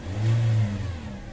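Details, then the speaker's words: 2017 Toyota Vios petrol engine, warm, before repair: heavy, low droning hum that swells briefly, then settles; oil warning light appears once warm. Mechanic suspects the oil pump is causing the loud drone. "Ang ang pagkakaalam ko yang Ugong na yan e d sa oil pum mismo sir Ayan Yan oh lakas oh lakas ng Ugong"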